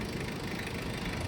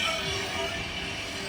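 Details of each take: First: Mitsubishi Adventure diesel: steady, even idle with no vibration, rising slightly as the air conditioning comes on without idle adjustment; healthy. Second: Mitsubishi Adventure diesel cranking after the fuel filter was primed: uneven, labouring pulses that struggle to catch, a hard start from air trapped in the injection pump or its line; the pump is slow to firm up when primed.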